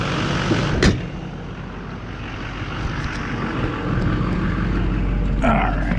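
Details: 2004 Chevrolet Silverado 3500 Duramax diesel with Allison transmission, after wiring splice repair restored shifting: steady diesel clatter with even rhythm, couple of brief background bangs, no misfire or knock; normal idle.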